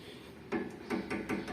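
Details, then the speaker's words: 2014/2015 Honda Civic G9 front suspension: sharp, hollow irregular knocks as the original, worn-out passenger-side shock absorber, nearly without damping, clunks at its rod when pumped by hand. "o barulho era não amortecedor certo esse amortecedor do lado do passageiro e tava batendo na haste"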